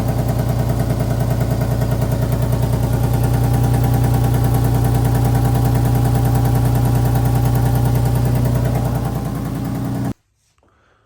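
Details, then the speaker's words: Petrol engine with crooked header bolts, idling: rapid, even ticking puff over a low hum from an exhaust leak, heard before repair. "I don't know if you guys can hear that, but it sounds like it's obviously it's coming from the exhaust."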